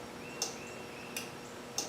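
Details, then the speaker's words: Cub Cadet Ultima ZT2 zero-turn mower with 60-in deck at 181 hours: turning the key gives three sharp clicks from under the key switch, not the solenoid, and no cranking. Suspected no power reaching the starter or solenoid, unconfirmed. "Looks like 181 hours. And then to crank, nothing. It just clicks."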